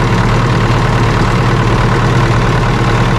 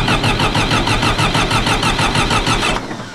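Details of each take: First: John Deere 450C dozer diesel with a new gear-reduction starter: catches after cranking and settles into a steady low rumble, running evenly with faint unevenness from a little air in the fuel line. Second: John Deere 450C dozer diesel after fitting a new gear-reduction starter, fuel just topped up: starter cranks evenly at about five pulses a second but never fires; owner suspects air in the fuel line or dirty connections.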